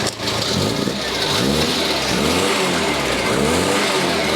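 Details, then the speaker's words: Freshly restored 1971 Ford Escort Mexico four-door prototype, registered 1972, revved while stationary in the yard: crisp four-cylinder blips rising and falling cleanly with no knocks or misses; sounds healthy. "well although I can't drive it around I can crank it over and hear the thing Raw wow"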